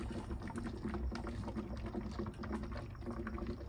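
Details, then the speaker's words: Dodge Hellcat after coolant flush, engine running, vents lacking heat: irregular gurgling and bubbling over low engine rumble as coolant level drops while it burps out; air still trapped in cooling system. "but now our level's starting to drop look at how much it's dropping so all that was air still in our system"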